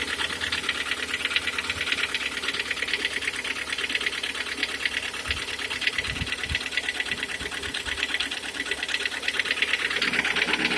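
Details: Hyundai/Kia G4KD engine with 102,000 km: quick, sharp ticking knock about three a second, steady over the idle; engine knock, source not yet pinned down.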